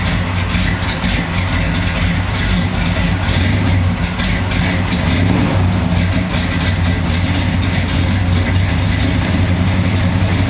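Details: 1968 Camaro carbureted V8 idling on E85 after 5 years off the road: deep, steady, slightly lumpy idle with an even beat and no misses or knocks; the camshaft sounds bigger on E85, which is normal.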